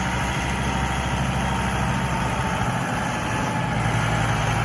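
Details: 2008 John Deere 5325 4x4 diesel tractor with about 1,300 hours, near-new condition: steady, even low diesel rumble at idle with no knocks or misses. Normal idle.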